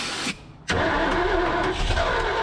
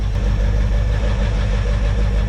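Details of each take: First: 1978 Ford F250 crew cab, abandoned for decades with a previously stuck engine: long uneven cranking with surges where it almost catches, then drops out. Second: Abandoned 1978 Ford F250 crew cab whose long-stuck engine was freed, now hot with close-set timing, an aftermarket cam and a small thermostat leak: steady, even V8 idle with a deep consistent rumble, no misses, knocks or smoke.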